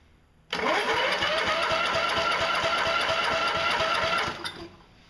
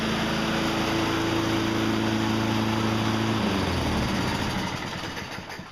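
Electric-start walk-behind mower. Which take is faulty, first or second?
first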